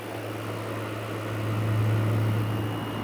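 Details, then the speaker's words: Salvaged window air conditioner, fins power-washed, running with hot air out the back: steady low hum with even fan rush, no knocks, rattles or squeals; owner suspects extension cord too light; normal running. "wool feel the hot air coming out the back now this could be a good little unit"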